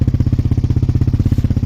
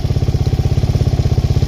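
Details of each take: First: Suzuki LTZ400 quad with Yoshimura exhaust after top-end work, earlier had a slight idle noise every second or third rotation: even single-cylinder thump, no tick or knock, revs out well, no smoke; noise gone, healthy idle. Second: Suzuki LTZ400 with Yoshimura exhaust after top-end work, warmed up, switched to prime: quick, even single-cylinder thump idling a little high with a tiny bit of popping, no obvious miss.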